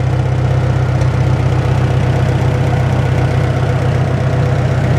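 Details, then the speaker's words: Farmall Super M tractor, warm, started and idling out of gear after tappets were adjusted: steady, even low thrum with regular beat, no misses or knocks; purring along healthy. "And there it runs. Runs just like an old International would. Just purrs."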